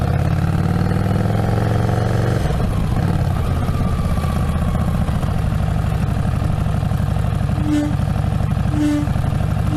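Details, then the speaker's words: 2017 Harley-Davidson XG750 Street Rod: loud low howl over the engine rising each time the rear brake is pumped approaching a stop, about once a second; free-floating caliper arm on the axle vibrating with only a small rubber bumper, known rear brake glitch. "So when you come up to a stop sign and you start pumping the brakes, you get this loud, obnoxious howling sound right before you stop."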